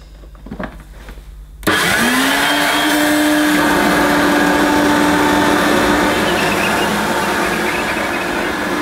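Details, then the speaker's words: Hoover U1222 Turbopower Plus upright vacuum on plush carpet, with the drive belt broken and no new agitator: the motor spins up to a steady droning whine with a rough, dry undertone, and the bearings also sound dry; worn drive belt noise. "it doesn't work on this plush carpet because of the belt the belt is uh it's kaput a new belt and you know you wouldn't hear that noise"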